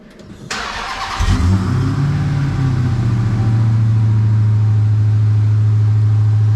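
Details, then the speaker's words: Dodge Charger Hellcat Redeye, rebuilt after being totaled, starting after repair: short crank, strong catch and flare, then a deep, steady idle with an even, unbroken pulse; engine sounds healthy, normal idle. "sounds good"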